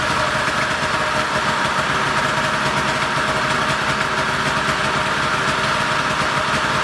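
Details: Polaris 488 two-stroke snowmobile after the seized engine was freed, the carbs cleaned and a hidden jet cleared, restarted with dry carbs; it idles with a fast, even burble at a steady speed and no misses or surges, and sounds great.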